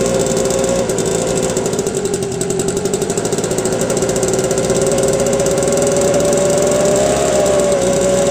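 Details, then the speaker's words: 2009 Homelite two-stroke leaf blower, carburetor adjusted and primer bulb replaced, started on second pull after sitting two months; steady buzzing run with slightly wandering high tone and no misses; normal running. "just replaced the primer bowl on it yesterday and it started up on the second pull after sitting for about two months so this is a good little blower"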